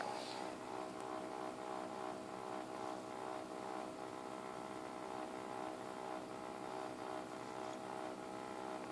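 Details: XSPC X20 750 pump/radiator combo: steady high-pitched buzzing hum with rough uneven throb, about three pulses a second; defective unit, replaced under warranty claim.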